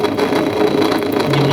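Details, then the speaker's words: Indesit WS84TX washing machine during spin/drain: rough continuous scraping grind with faint steady tone from the drain pump; its shaft is off-centre and wobbling, pressing it reduces the noise; pump needs replacing. "Ну и когда начинает вот работать помпа, начинается вот этот скрежет. Показательно видно, как эта помпа скрежет."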